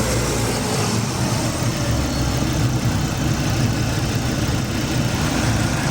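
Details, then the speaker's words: 2012 Volvo S60 first start after timing belt, pistons and cylinder head install to fix oil burning and timing issues, not yet warmed up: steady, even low idle rumble with no knocks, ticks or misses; running smooth. "like it's running good though nice and smooth no leaks other than what I spilled"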